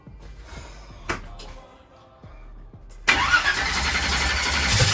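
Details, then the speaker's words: Holley EFI drag race car: starter turns engine over in a steady rhythm but never catches; low fuel pressure checked first, then laptop showed throttle position sensor reading not calibrated; crank no start from disconnected TPS. "tried to crank it it still didn't crank it's just like and so throw the computer on it put the laptop on it and went up here and i had the laptop on it earlier but i didn't pay attention and tps was saying knee cal"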